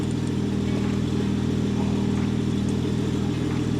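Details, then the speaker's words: BMW 535xi E60 (N54) idling after misfire fix, cooling fan on, no misfire occurring: smooth steady idle with even low beat, no stumbles or misses over four seconds; normal idle. "Come on. Misfire. It's like I want this car to misfire. Wait, it's not misfiring yet."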